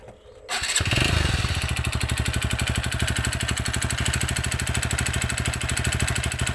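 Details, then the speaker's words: TVS Radeon BS6 motorcycle at idle: fires after a moment, then a loose, hollow rapid knock, louder right after start and easing later, unchanged for months; diagnosed as piston slap. "कह सकता हूं कि इसका pistol account है pistol का आवाज है क्योंकि जब मैं बाइक को स्टार्ट करता हूं इस टाइम में ज्यादा आवाज़ करती है"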